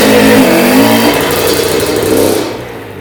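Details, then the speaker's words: Honda CR80 two-stroke after cylinder head, studs and gasket replacement for coolant leak, coolant level holding: revs up crisp and buzzy and drops back smoothly; running cleanly. "Alright guys, I just checked the coolant, it looked like it didn't go down anymore, so I'm just going to start it up again, maybe ride it around real quick."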